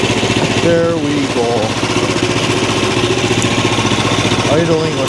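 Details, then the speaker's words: Small single-cylinder engine on a bandsaw wood mill, bought as a non-runner, putters at a steady even idle of about four beats a second after carb bowl refill, choke and ignition on; no stumbling, normal idle. "all controls listen to her purr wow"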